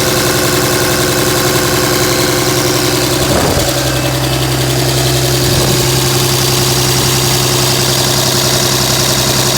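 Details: 2007 Dodge Ram 5.9 Cummins diesel idling with a harsh, uneven exhaust chuff about two pulses a second wandering off beat; began a month ago, intermittent fuel rail pressure, MAP sensor and overboost codes; owner asks about excessive blow-by; rough idle.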